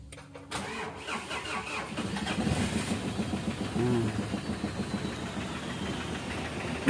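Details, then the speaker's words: Mitsubishi Strada Triton diesel, hard to start: cranks, catches, then runs slightly uneven with a tek-tek-tek knocking; white smoke clears after starting. "dan kemudian agak sedikit pincang untuk bagian mesinnya jadi agak sedikit pincang dan suaranya itu ada suara ya"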